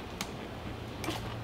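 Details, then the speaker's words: Two-stroke racing go-kart (possibly 100cc) sitting for years, battery charged overnight to 12.9 V: three faint clicks about 0.7 s apart with no cranking; problem between battery and starter, starter corroded with worn brushes, later rebuilt. "well so we definitely were problem somewhere between this and the starter yeah that's surprised"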